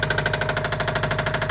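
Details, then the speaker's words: Subaru WRX sedan started after a dead battery was on a charger for days: hard, regular metallic knock of about thirteen per second pounding through idle, from deep inside; owner calls the engine pretty blown; engine knock. "I've had the battery tender / charger hooked onto it for a couple of days, so it should start up. That's pretty blown."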